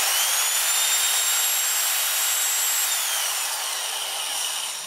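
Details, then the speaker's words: Biax scraper (Swiss-made) switched on after disassembly, cleaning and bearing service and reassembly: smooth, even high-pitched motor whine held steady then spinning down; running properly. "So before I do anything else, I'm just going to turn it on to make sure it's working properly. Switch it on. Moment of truth to see whether everything's working."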